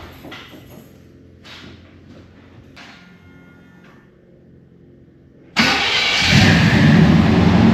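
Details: 1991 GMC Suburban R1500 5.7 TBI after replacing grinding offset-bolt starter (168-tooth flexplate), mount bolts 35 ft-lbs: brief quiet, then quick clean crank catching straight into steady even idle, no starter grind; normal start.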